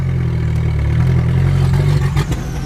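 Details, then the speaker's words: Drift car after a run: a lumpy, uneven low idle that stumbles and sags, with no power; a misfire. "I have no idea what happened because I have absolutely no power. And it's not supposed to be making that sound."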